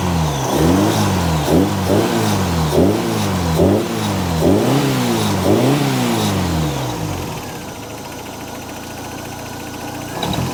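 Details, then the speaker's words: Long-stored hot rod Model A coupe, tired engine, loose alternator and belt, loose motor mount found: quick revs with a loose rattle as each drops off throttle; cause unconfirmed. "it's like a rattle right when you get off"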